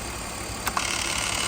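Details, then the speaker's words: BMW Z3 Roadster engine idling with a constant high-pitched whirring, like gears rubbing inside; noise stops when the idle control actuator behind the intake tube is disconnected, so that actuator is suspected. "Yo voy a enseñar cómo diagnosticarlo y cómo la manera de encontrar la solución. Vamos a encontrar el ruido, ¿de dónde viene? Mirad cómo suena."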